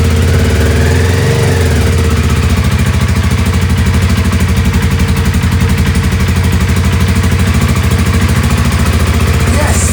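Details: 2007 Honda CBR125R 125cc single at a steady fast idle, even pulses with no misses, first start after sitting outside two years non-running and refitting a missed seal; running normally.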